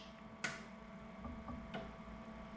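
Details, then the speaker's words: Series 8 printer commissioning, solenoid valves actuated one by one from the controller screen's red test buttons: two sharp clean clicks over a faint steady hum; solenoid valve switching properly. "I'm going to go ahead and press each one in turn and what I'm looking for when I press them I'm actually listening for a click of the solenoid clicking"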